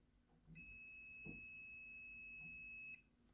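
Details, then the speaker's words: Multimeter continuity test on a good spark plug from a Honda Click scooter that starts but dies after minutes: one steady high beep over two seconds, unlike the other plug, which was faulty. "Ito kasi diretso meron siyang continuity."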